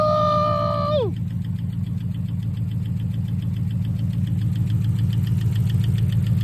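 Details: Chrysler 300 Hemi V8 at idle: steady idle with a light, fairly even tick that follows engine speed; owner unsure whether it is rod knock or an exhaust leak, cause not confirmed.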